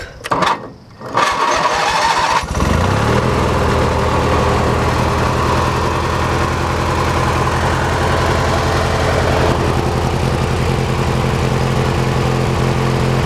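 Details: Hechinger by MTD riding tractor after repairs, newly wired to the key switch through a 35/40 amp fuse: starter cranks briefly, engine catches within a couple of seconds and settles into a steady even idle; starts and runs fine.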